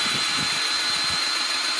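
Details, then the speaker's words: Milwaukee 2646-20 M18 2-speed cordless grease gun, just primed by bleeding air through a loosened tube: steady high-pitched drill-like motor whine over an even hiss with no stutter; pump primed and pumping normally. "and I can feel the pump start the pump now so definitely out"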